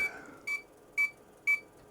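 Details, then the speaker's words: IBM PC 5150 floppy drive alignment test with disk utility, all sectors read successfully: three short clean high beeps about half a second apart; higher beep means better alignment, alignment good. "beep the beep is there to indicate uh how many tracks are being how many sectors are being read per truck the higher the beep the better the alignment but you can see it's pretty good"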